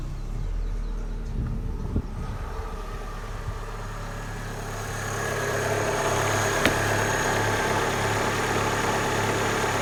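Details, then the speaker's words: Opel Astra G after A/C compressor clutch replacement: steady, even idle; around six seconds load rises and a faint hum joins as the compressor engages, idle holds smoothly; normal idle with A/C on. "Well, the belt's turning. Right, we're going to press the button, see what happens. Well, it sounded good."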